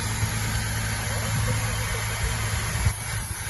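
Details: Mustang 3.8 V6 idling after cylinder head reassembly: a smooth, steady low hum with an even beat and no knocks or ticks, sounding healthy.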